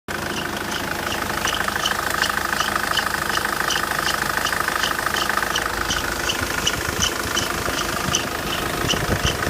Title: Свист ремня